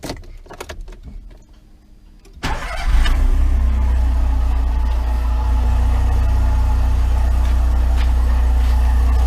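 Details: Volkswagen Voyage with EA111 engine at steady idle: constant low hum and rough bearing drone seeming to come from the engine; on disassembly the water pump bearing was found at fault, replaced with timing belt and tensioner.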